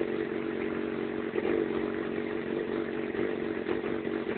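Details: Yamaha FZ6 idling with an uneven, lumpy beat and slight hunting in the exhaust note; rough idle and poor running below 3000 rpm, cause unknown.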